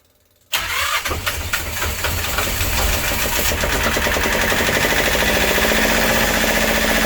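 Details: Westerbeke W13 4.4 kW diesel generator after replacing faulty glow plug solenoid (high-resistance contacts) and cleaning terminals, glow plugs preheated: a few starter turns, catches quickly and settles into steady even clatter; starts easily.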